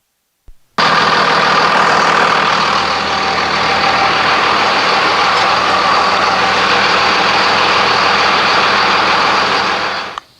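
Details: 2001 Dodge Ram 2500, 5.9 Cummins turbo diesel, back running after a fuel filter change and re-priming with the aftermarket lift pump: steady, even diesel clatter at idle with no stumbles or surging. Normal, healthy idle.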